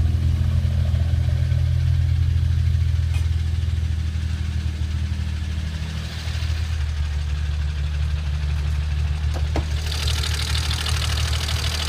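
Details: BMW N54 with JB4 (updated to V28), E85 flash, BMS downpipes, FMIC, charge pipe with Tial BOV, Borla exhaust, methanol kit: lumpy, uneven idle with wavering stumbling throb; misfires, lean on both banks, codes 29E0 29E1 2A2B 2A2C.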